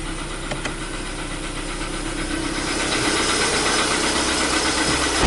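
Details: 2015 Volkswagen Polo Sedan, CFNA engine, just after a cold start at 0 °C air temperature: a light, fairly regular tapping at about 160 per minute rides over the rough idle; cold-start knock, cause unknown.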